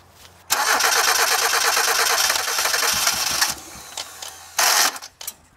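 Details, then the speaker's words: Ford Festiva sat three years, after cleaning the fuel pump fusible link. About three seconds of steady cranking and a short cough that doesn't catch: cranks but won't fire. The owner suspects badly fouled plugs and old gas. "you saw it it coughed there for a second I'm going to get some starter fluid and spray it in the intake and see if we can kind of clean out the spark plugs I think I just fouled them really bad"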